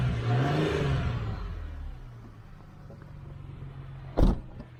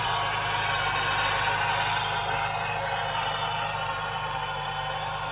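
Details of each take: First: 2009 Ford Mustang V8 after the noisy AC compressor was dealt with: a brief rev, then a steady, deep idle with no power steering or belt accessory whine; the noise is thought to have been the compressor. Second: 2009 Ford Mustang, engine running: a steady high whine that holds its pitch above the engine; possibly power steering pump, though not heard in the steering, or a dry bearing in a belt-driven accessory; not confirmed.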